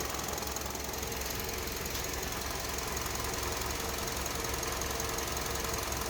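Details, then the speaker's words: 2009 Honda CR-V, 208,391 miles, fresh oil change, idle relearn with the engine warming toward 90°C: steady even idle with a light constant valve tick and no stumbles; runs smoothly and smells of burning residual oil. "running smooth at least we got some stuff burning off it smells like oil probably just oil residue from where we changed it"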